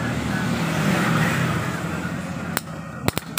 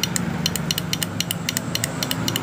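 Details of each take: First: Yamaha Jupiter MX whose starter only clicked despite a new battery, started during a jumper-cable starter test: a few sharp clicks, then the single-cylinder fires and settles into a steady putter of about four beats a second. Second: Yamaha Jupiter MX with a new battery, key on and starter button pressed: rapid clicking about seven a second with no cranking; suspected dead starter motor or starter relay/bendix, not confirmed.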